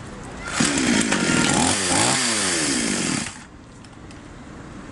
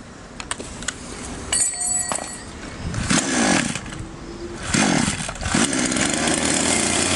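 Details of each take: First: Chinese copy Stihl MS660 chainsaw before carburettor adjustment, reported to start but stall when throttle pressed: catches and races about three seconds, pitch sagging and surging, then cuts dead; carburettor mixture out of adjustment. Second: Chinese copy Stihl MS660 chainsaw after carburettor adjustment (screws set two turns out, front screw opened further) to cure stalling on throttle: clean, crisp revs rising and falling back to steady idle, no bogging; running normally.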